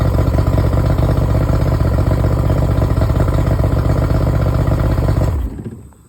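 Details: Yamaha 70 two-stroke outboard after a no-crank no-start fix, run briefly without cooling water, half choke: steady fast burble about four beats a second, running evenly until shut off; healthy idle.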